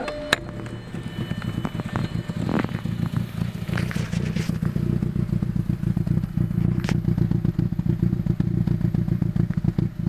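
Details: Audi B5 A4 AEB with a vacuum delete cap blown off the intake manifold; rough hunting idle with stumbling, rise-and-fall speed, 10 mmHg vacuum, major power loss and misfires.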